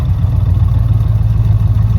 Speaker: You kind of hear it pulsating a little bit, but whatever, man.